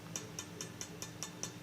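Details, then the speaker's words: Ampeg Heritage B-15 reissue bass amp, scope connected, touching one JJ 6L6 output tube: light sharp ticks about five per second over faint hum, rattling, scope going nuts; microphonic output tube, replaced with new matched 6L6 set. "She's a little rattle box, and the scope is just going nuts."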